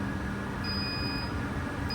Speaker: I can hear the the beeping when I get near the working end of it. I can run down the whole shaft easily. >> There's a spot on the insulated shaft of this instrument where it failed the test.